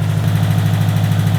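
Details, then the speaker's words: Built 2005 Subaru WRX STI first start after engine repairs: fast, even low throb at high idle, no misses or ticking; running lean around 18 AFR on a tune that hasn't learned yet, aftermarket injectors. "Yo, we're running super fucking lean. We're at like 18 AFR. We're running high idle on a tune that hasn't learned itself yet."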